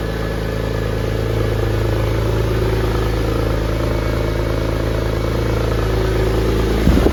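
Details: Porsche 911 (996) flat-six, started after a five-year restoration: a steady, even low burble with smooth rhythm and no knocks or misses, idling cleanly. Left-hand exhaust tip is loose.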